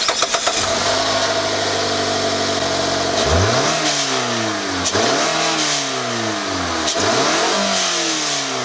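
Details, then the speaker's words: Mazda3 cold start: brief crank, catch and flare, then fast even cold idle with light ticking from the direct-injection pump clicking back and forth. "now one thing about mazda engines is that they're not really well refined have a listen to that direct injection pump really hear that clicking sound going back and forth which can get pretty annoying"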